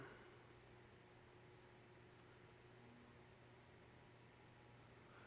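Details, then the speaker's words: Vintage Nutone 52-inch friction-drive verandah ceiling fan converted to a spinner motor, run on a capacitor speed test rig: faint steady hum under soft air hiss, no ticking or rubbing, "bedroom quiet"; normal running hum. "hear it humming. It's not silent. Yep, bedroom quiet, I would say."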